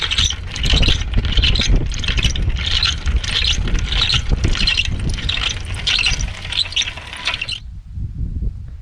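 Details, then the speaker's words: Bicycle front wheel hub before repair: gritty scraping grind pulsing about once per wheel turn; the hub bearing is damaged, fixed by replacing the ball retainer. "napisz może przypomnę wam jak to koło pracowało uszkodzone Tak było słychać to koło jak pracowało uszkodzone"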